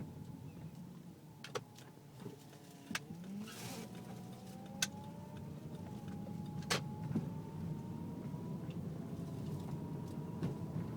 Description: My car is making really loud whining noise when I either turn left or right at low speed below 10mph.